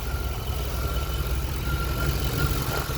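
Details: 1989 TBI truck after the fuel tank, lines and clogged pre-filter were cleaned: steady low idle rumble with an even beat, no stumbles or surging. The engine idles smoothly.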